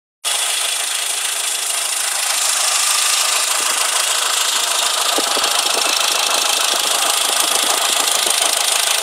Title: Engine Knock